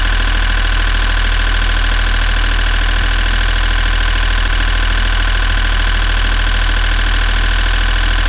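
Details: Sailboat diesel that stalled, back running after fuel filter and fuel pump troubleshooting. Steady, even idle with a smooth regular beat around 200 a minute and no misses or knocks: normal idle.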